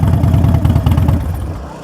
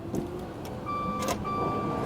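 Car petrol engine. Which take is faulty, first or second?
second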